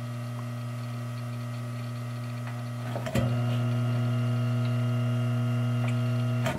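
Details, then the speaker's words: 12-inch Penncrest box fan, General Electric motor run unloaded with blade off, before oiling: steady even hum, louder partway, no scraping; spins freely, draws about the same amperage as with blade. "pretty funny that it draws pretty much the same amperage with the blade off"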